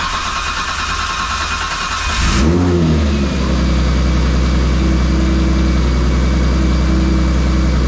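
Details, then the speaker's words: R32 Skyline after installing a Kinsler 700 series cam-driven mechanical fuel pump and Radium external FCST: a couple seconds of extra cranking with no priming while the pump builds pressure, then it catches, revs and settles to steady idle; timing set, running great. "which is to be expected with mechanical fuel pump you got to crank it over a couple extra times just so that it can build up the pressure because as you can imagine there's no priming taking place"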